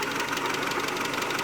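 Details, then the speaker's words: 2001 Mitsubishi Galant 2.4 4G64 at idle: fast, sharp, high-pitched light ticking; suspected lifter tick, with lifters either failed and leaking down between charge cycles or starved of oil pressure; cause unconfirmed. "the problem is the lifters themselves are either failed and they're not holding pressure and they're leaking out in between charge cycles"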